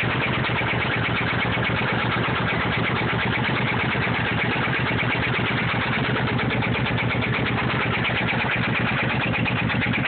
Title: motorcycle ticking noise